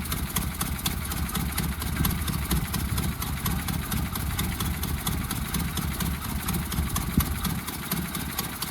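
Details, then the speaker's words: Carbureted 1976 Ford Mustang II started cold after sitting a while: low, lumpy idle with an uneven beat; owner suspects gelled old fuel clogging the carburetor and is running it to cycle fuel through. "I haven't started her in a while. It is cold and carburetors don't like cold."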